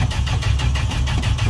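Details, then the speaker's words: Old truck on a hot June start with booster connected, after several throttle pumps: strong, even starter cranking with a steady low churning beat and no firing, as the carburetor bowl still has no gas. "a few more pumps still no gas in the bowl so it's just it's doing a lot listen to that starter"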